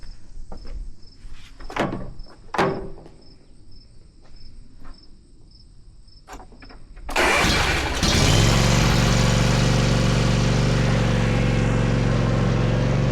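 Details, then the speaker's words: Rescued zero-turn mower started after the rear carrier was pinned and the pulleys were checked. Clanking and rope pulls, then the engine fires and settles into a strong, steady, even run with a smooth hum. This is the sound it's supposed to make. "That's the sound it's supposed to make."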